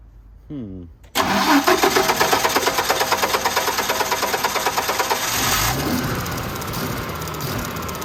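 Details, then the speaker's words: Generac 50 kW propane generator with spark, the fuel solenoid found not opening: steady cranking at about three turns a second with no firing. It briefly hit a little after the valve was tickled, but it is definitely getting no propane. "all right she is definitely not getting any gas um or propane"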